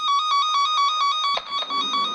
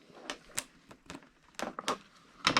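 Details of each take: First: Cen Tech cable tracker probe on an intact, de-energized wire next to the transmitter: a loud warbling tone pulsing about five times a second, steady and unbroken as it follows the wire. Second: Cen-Tech cable tracker tone on a de-energized wire: after clicking and handling, a loud warbling two-pitch tracer tone is still heard despite a break in the wire.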